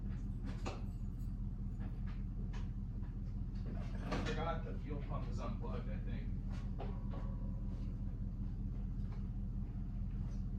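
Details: Vintage Toyota 4x4 truck started for the first time in a year on a charged battery and fuel: steady, even low idle rumble with a few handling clunks; starts right up and runs smoothly.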